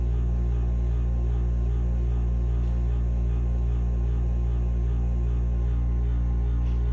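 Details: Furnace running with steady low hum and faint rough grinding, no pitch change; capacitor tested OK, cause not yet found.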